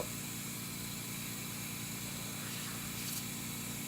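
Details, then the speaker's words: Whisper airbrush compressor feeding a Badger Model 200 airbrush spraying at 15 psi: steady motor hum with a low buzzing pulse under constant hiss; it runs continuously venting through the blow-off valve because auto-shutoff is set at 60 psi; normal. "since this uses a blow-off valve, what will happen is it'll continuously stay on because the automatic shutoff is still at 60 psi."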